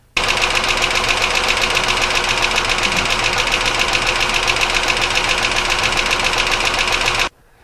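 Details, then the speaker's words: Petrol engine running with a loud, rapid metallic knock, about four a second, that does not ease as it warms, suggesting a bottom-end problem; there is coolant in the oil, and cause unconfirmed. "one thing I have noticed that's a little concerning is as I've been running this more and more the engine is of course warming up and the NOC doesn't get any better which actually is indicative of a bottom end problem in that case usually top end problems get better as the engine warms up more so"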